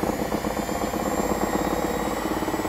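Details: AEG 62810 washing machine with the drum and pulley run directly off the motor: a steady rough rumble with a fast pulsing grind as the drum spins, from worn drum bearings.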